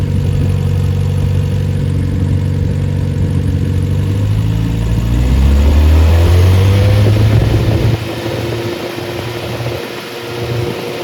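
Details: Freshly rebuilt Triumph Spitfire 1500 engine, no muffler: loud steady idle then clean smooth revving with fuel pump clicking; compression 190-210 psi, oil pressure 80 psi cold, 47 psi hot; healthy.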